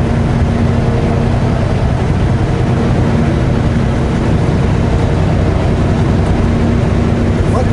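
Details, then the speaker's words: Truck cruising: a steady low howl or hum over heavy road and engine rumble; driver suspects a tire or wheel bearing and plans to check the steer hubs for heat, not confirmed. "sound of a howling sound like the sound you would get from rough tread a big tread on a i'm not mechanically inclined but is that a sign of a bearing or something going i hope not"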